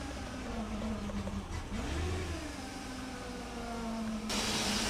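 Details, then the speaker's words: 1998 Mercedes S420 with no acceleration and no check engine light: uneven idle wandering up and down, then a loud hiss; sounds like a leak but a smoke test found none; owner wonders about fuel, cause unknown. "it sounds like there's a leak there are no leaks I did a smoke test no leaks I just don't know why there's no acceleration"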